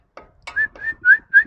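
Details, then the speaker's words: 1999 Honda HR-V front brakes: four short high-pitched squeaks as pads squeal against the disc, pads needing replacement. "sentito ? Ecco, il tampone cigola, va cambiato a tutti i costi."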